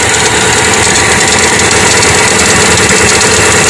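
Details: Hyundai Atoz engine idling cold in the morning: loud quick, uneven ticking about three per second. Spraying it quieted the noise briefly; traced to a dry belt pulley bearing that needs replacing.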